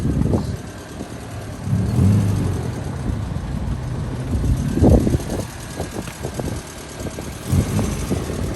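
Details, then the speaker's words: 1999 Honda Civic EK coupe with a B20 VTEC swap, after fixing an intermittent fuel cut and a starter problem, during a test drive: a steady, even low idle with a smooth rumble and no knocks or misses, with AFR on target. A normal, healthy idle; an earlier squeak was a throwout bearing. "car is running amazing nice and healthy all the afr is on point he's running good running good"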